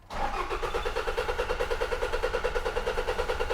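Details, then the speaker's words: 2006 Toyota Hilux 2.5 L D4D diesel, crank no start with no codes or engine light: starter churns evenly at about two and a half compressions a second, never fires, sounds dry as if no diesel reaches the engine. "It might not be coming through on camera, but it sounds dry. And what I mean by that is, it just sounds like there's no diesel getting to it."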